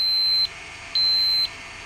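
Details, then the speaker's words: Sharp PC-4500/PC-4521 laptop hard drive at power-on; steady high beep repeating about half a second on, half off; heads lock and won't release, arm stuck so drive cannot spin up; drive faulty. "the arm's stuck wish i had a cushion of air underneath that so it can't spin up the drive so there's something wrong with whatever controls the releasing of the arm at least we know the drives faulty now"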